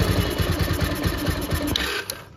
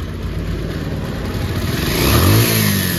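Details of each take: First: Bajaj Pulsar after carburettor washing for overflow, no choke: quick, even put-put idle fine, but on opening throttle it bogs and cuts out within two seconds; pickup problem traced to the carburettor. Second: Bajaj Pulsar after a carburettor overflow, carb wash and the resulting pickup problem were fixed, idle raised slightly: single-cylinder picks up cleanly through two throttle blips and settles without stumbling or dying; problem solved.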